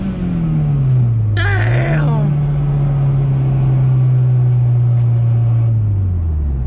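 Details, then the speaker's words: Fully built Mazdaspeed 6, PTE 6062 Gen2 dual ball bearing turbo, port injection with 2200cc injectors, base map, third-gear wide-open-throttle pull: deep steady drone with a wastegate screamer rush, holding 16.28 psi boost; engine pulls cleanly. "Very slow, but that wastegate screamer is violent. We held 16.28 pounds of boost, which is basically what the spring pressure is on the gate."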